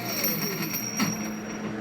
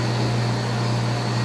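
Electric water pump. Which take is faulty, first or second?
first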